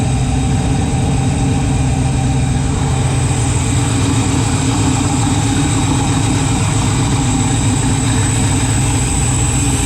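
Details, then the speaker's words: Freshly built 408 stroker LS in an S10, first start in park on a new tune: deep lumpy V8 idle sitting noticeably low and slightly uneven; rpm low, new wideband O2 acting up, cause not pinned down. "yeah that's not good air fuel ratio is crazy good RPM D that's low"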